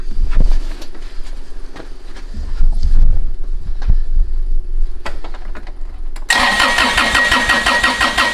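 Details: Kubota BX diesel tractor that had shut down, after checking fuel flow through the filter to the injector pump and adding fuel stabilizer; uneven ticking while cranking, then it catches and holds a steady run. Normal idle.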